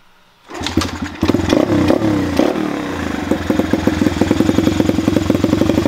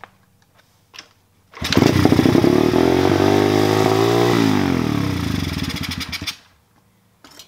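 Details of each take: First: Chinese pit/dirt bike after adjusting the carburetor idle screw: a kick, a few ragged catches with a blip of throttle, then the small single settles into an even, steady idle; normal idle after the fix. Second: Warmed-up pit/dirt bike with choke closed and idle screw pushed all the way in; engine races high and steady for about five seconds instead of settling, idle speed too high, to be corrected by backing out the idle screw.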